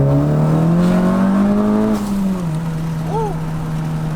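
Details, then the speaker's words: 10th-gen Honda Civic Si turbo after diagnosis and fix, hard pull reaching full boost: engine note climbs smoothly and drops cleanly on lift; normal full-boost acceleration. "Good. We're getting full boost. Fuck yes, bro. That's what I'm talking about, bro."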